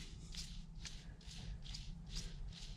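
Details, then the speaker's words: Riding-mower idler pulley sealed bearing, hand-spun after the fix: soft rhythmic swish about twice a second, no grinding or rumble; pulley now quiet, only slight noise. "pretty quiet. There's slight, tiny little bit of noise, but basically that's the result you're going to get."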